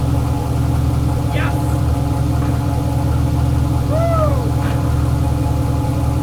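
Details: Chevelle LS turbo build on Holley Terminator X, first start: fresh V8 holds steady fast idle above target with idle air control at zero percent; throttle blade open too far.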